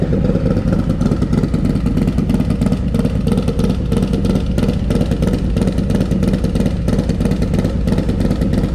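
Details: Harley M8 Lowrider S with 131ci Stage IV kit, first start after swapping the SE 517 cam for a Cycle-Rama 512, before warm-up: deep V-twin lope about three beats a second, crisp and even, no knocks; normal idle and revving.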